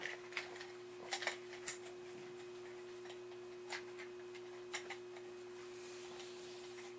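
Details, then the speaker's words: Zenith "Bug Eye" TV set under restoration, troubleshooting: thin, very high steady flyback whine over a low hum with handling ticks, indicating high voltage present; probe reading estimated about 14–15 kV against roughly 11 kV nominal. "probe I hear buzzing a little makes me think that uh we do have high voltage"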